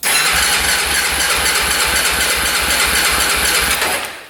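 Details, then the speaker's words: 2004 Honda 400EX single-cylinder quad that would not run, cranking with compression gauge: steady even thumps about four a second, reading about 105 PSI within 100–120 spec, decompression working; normal cranking compression. "Oh yeah, that's perfect. We're at like 105 PSI. So that's between 100 and 120. It's not too bad."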